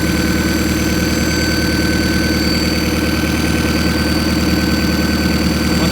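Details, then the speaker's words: RHD turbo Honda B-series CRX (12.5:1 compression, stock sleeves, Hondata S300, E85, maxed 1000cc injectors) just after a cold start: a steady, even idle sitting a little high, since there is no idle control valve. "idles a little high but since there's no idle control valve it'll actually cold start like this so in a Honda a little bit higher idle rpm isn't a big deal"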